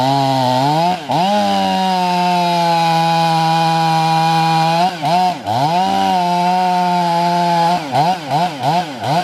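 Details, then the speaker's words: 500i chainsaw with a 3/8 steel chain, hand-filed, rakers untouched. At full throttle it screams, then sags and bogs on each cut, grabbing a little. Poorly sharpened chain. "what i'm gonna do is i'm gonna go back and file that chain with the seven thirty seconds this chain right here is a normal um file round file chain but you'll hear it as as i'm cutting through"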